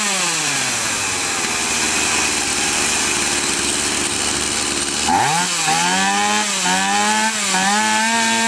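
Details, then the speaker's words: Stihl MS 180/MS 170 chainsaw, two-stroke, after enriching the non-adjustable carburetor via its internal needle: fast, busy buzz blipping up and down; power now good but idle speed too high. "мощность хорошая но как мы видим слишком много холостого хода"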